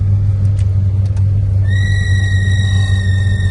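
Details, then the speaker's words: 1970 Mercury Cyclone Spoiler 429 Cobra Jet Ram Air, engine idling: the blower motor gives a thin, high squeal when first switched on, holding as it spins up; it wasn't doing that before, and the blower otherwise works. "Well, got a little squealing blower motor. Wasn't doing that. So there we go. Blower motor is working. Little squealy when you first fire it up."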